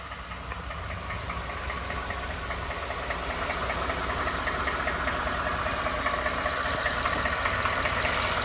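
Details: Used Ford F150, knock noticed after 1000 miles of ownership, going to the dealer; at idle a steady knock ticks two to three times a second over the engine hum; cause unknown; engine knock.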